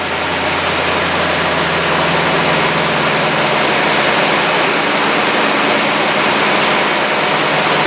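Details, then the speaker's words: 2009-2018 RAM 1500 5.7L HEMI V8 idling after a Rough Country cold air intake install: steady, even idle under a lot of intake hiss with no misses, knocks or stumbles. It sounds healthy with no check engine light. "That sounds pretty good. It's owling right now."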